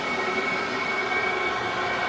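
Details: Diesel heater wired direct to a 12 V battery via inline fuse, started first shot with pump primed, about half a tank of diesel, in freezing weather: steady even roar with a faint high fan note, no surging; running cleanly.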